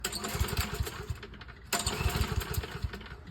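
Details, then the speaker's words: Toro 21-inch commercial walk-behind mower with Kohler engine: on starter fluid and gas poured into the carburetor it fires in a ragged burst, drops out and briefly catches again before shutting off, pointing to a bad carburetor, to be replaced. "And if it happens to fire up like this one does, runs for a little bit, shuts off, you know it's the carburetor."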